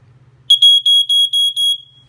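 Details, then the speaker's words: Early-1990s Ventek/Visual Alert FA100 smoke alarm with strobe, just plugged in: six short shrill high-pitched horn blasts about four per second, then silence; sounds and flashes intermittently then stops on its own. "well then it just stopped what the heck kind of that's weird like just sounds and flashes and the stops sounds flashes and stops"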